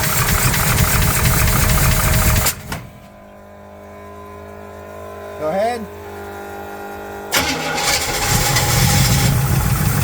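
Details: 1971 Chevrolet El Camino SS big-block V8 idling with valve covers off while chasing valvetrain noise; quick, fairly even light tick about four per second over the rumble, source not pinned down; valvetrain ticking at idle.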